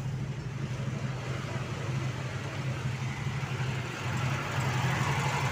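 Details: 1988 Opel Kadett 1300cc. A steady, even low hum at idle with no knocks or misses.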